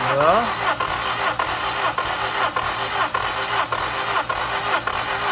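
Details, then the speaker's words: Honda Prelude dyno build, cranking during a compression test; slow heavy starter beats under two a second that drag lower; slow cranking, battery suspected, charger added. "do we want to put a battery charger on it though yeah let's throw the charger on it real quick it sound like it was slowing down it did"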